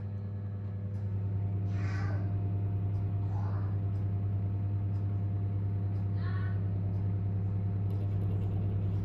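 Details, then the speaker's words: Bathroom ceiling fan: steady low motor hum with short faint chirping bursts, batches separated by 10–30 second quiet spells at random; owner believes data signals on mains power lines, also seen on spectrum analyser. "it does a burst of data and then it goes into a listing mode for probably about I don't know you know 10 10 20 30 seconds depends it's it's really random then starts doing it"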